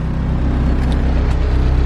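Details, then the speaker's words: Turbo K24 Civic EP3 after a top hat was fitted on an injector, with a base map: engine note swells briefly, then settles back to a smooth, steady idle with no stumble or misfire. "this thing's running mid [Music] comes right back down to idle nice"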